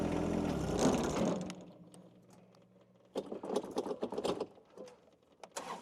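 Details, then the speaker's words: John Deere 2025 compact tractor driving a Tarter RT205 rototiller via PTO: engine runs briefly then dies within a second and a half, leaving clatter; the tiller drive binds and stalls it, later traced to gears seized after the top gearbox oil leaked out. "so last year I had it and it shut my tractor down completely so I'm I'm hoping nothing in the gear boox is shot"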